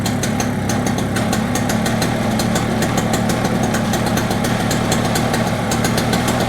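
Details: Toro CCR 2450 snowblower, small two-stroke, first start after carburetor service with lots of gas in it: steady fast buzzing idle with no dips. It is idling too high and very smoky; cause unconfirmed.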